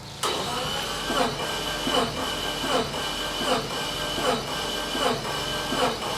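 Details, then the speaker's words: 1985 Subaru AWD turbo coupe, 44,000 miles, parked about 30 years: steady starter whir with an even churning beat roughly every three quarters of a second, never catching; no fuel in it suspected. "I don't think it's got any fuel in it"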